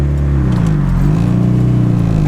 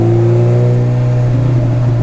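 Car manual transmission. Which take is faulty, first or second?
second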